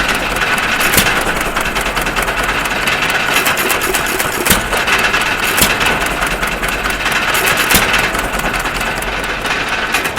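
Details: 1.5 HP Stover CT1 hit-and-miss engine after magneto and timing adjustments: sharp firing bang every second or two with steady valve clatter while coasting, mostly misses; healthy running.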